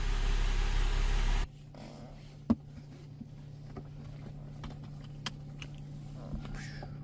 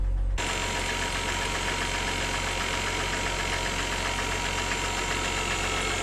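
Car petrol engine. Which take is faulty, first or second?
second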